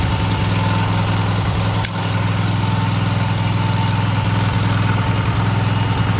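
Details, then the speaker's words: Cub Cadet garden tractor twin just after new spark plugs, carburetor not cleaned, frozen choke, and an unlocated gas leak: a steady, even low thrum at constant speed with no misses, knocks or hunting. Normal idle. "This is a pretty smooth motor. I did not clean the carburetor, but we're gonna see if we can get it started again."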